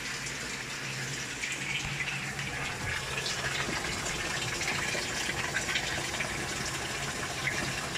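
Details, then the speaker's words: Panasonic automatic washing machine, repaired after a drain clog caused by coins: a steady rushing hiss of water filling the tub. Panasonic has a normal time delay before water enters, unlike Samsung/LG, and this is a normal fill. "yung Panasonic Meron lang siyang time delay talaga ung pagpasok ng tubig hindi siya Hindi ko siya katulad ng mga Samsung LG bagsak kaagad yung [Musika] tubig may time delay yung pagpasok"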